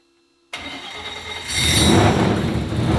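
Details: Audi RS4 sedan freshly built turbo engine, warm start after adding a larger Dash 12 oil return line to the tank: catches cleanly and settles to an even, steady fast idle with no misfire; running noticeably smoother.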